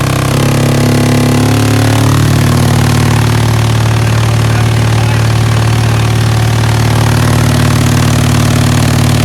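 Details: DIY 3.5 cu ft vibratory tumbler, direct-drive 3 hp three-phase motor on frequency drive, run up to about 120 Hz with nearly dry ceramic hybrid media (best performance about 88 Hz): loud low drone settling to even constant buzz, no knocking; normal running.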